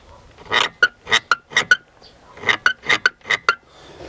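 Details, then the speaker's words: BMW E60 driver's seat backrest, disassembled: repeated scratchy metal creaks and squeaks, also heard when pressing the gas. A broken backrest spring rod rubs metal-on-metal against the seat motor. "он упирается вот этот моторчик с той стороны и вот этот скрежет скрип это металло металл"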